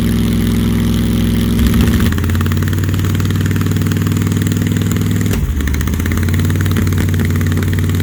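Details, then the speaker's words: Supercharged big-block 1968 Plymouth Barracuda on its first start: lumpy, uneven idle that stumbles and nearly dies twice before recovering, misfiring; not yet timed, backfiring through the intake pop-off valve; the number 1 plug was dry. "Got to figure out why it's idling so funky. And you also need to get it timed."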